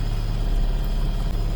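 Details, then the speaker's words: Micro van engine after driveshaft work, warming up with choke on: steady fast even high idle, deep low hum, no knocks or misses; owner says it starts hard and suspects flooding. "let it warm up a bit see the choke is on and it has high idle"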